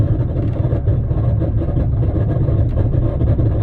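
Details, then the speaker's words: Vehicle with about 165,000 on the clock, driving down the street: loud, deep, constant rumbling growl underneath; badly worn front wheel hub bearing, possibly letting the rotor contact caliper bridge or spindle. "usually if a wheel bearing gets bad enough for the um rotor to be contacting like the caliper Bridge or the spindle or something like that usually it makes noises like this"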